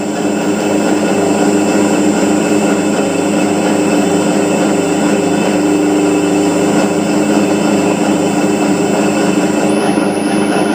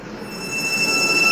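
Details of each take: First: Motor driven by an INVT CHF100A VFD with carrier frequency (P0.14) raised from 1 toward 8 and higher: a steady, smooth hum with only a faint very high tone left, the carrier whine gone. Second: INVT CHF100A VFD with parameter P0.14 carrier frequency set to 1 (lowest): motor gives a loud high switching whine over hiss. Raising it to 8 and higher quiets the motor noise but makes the VFD run hotter.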